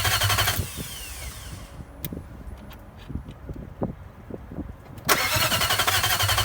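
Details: Nissan VK45DE engine swap, 2003 engine replacing blown 2002 one: steady starter cranking with occasional small backfire pops but never starts; fuel pump not heard priming at key-on; cause unknown.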